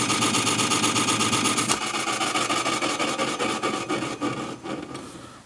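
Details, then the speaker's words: Sony TC-252D stereo tape deck transport running: dry scraping rub ticking about four times a second from the reel area; suspected metal contact with something it shouldn't touch, possibly lack of lubrication or the motor, cause not confirmed. "but that actually sounds like there's some metal contact there that it's it's hitting something it's not supposed to perhaps"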